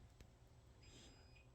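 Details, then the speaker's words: Chamberlain garage door opener: single short, high electronic beep in a quiet room, with wall remote showing a notice; the opener's backup battery is low and needs replacing. "and did you hear the beep yeah it says hey on the wall remote here it says you should probably change your battery"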